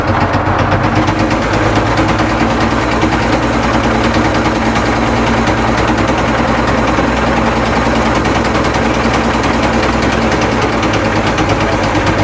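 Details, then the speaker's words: Caterpillar 977L track loader diesel, run on a cold day after persuasion and ether, with fuel supply problems: loud, relentless hammering knock throughout, though oil pressure is good; serious internal trouble suspected. "all right so after some persuasion we got this one to run you guys can probably tell It just knocked absolutely horribly"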